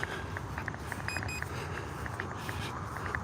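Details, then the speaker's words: HobbyZone Duet beginner RC plane in flight: two quick high-pitched beeps over faint wind and motor hum, low-battery warning to land. "So I'm beeping. It's telling me it's time to land it."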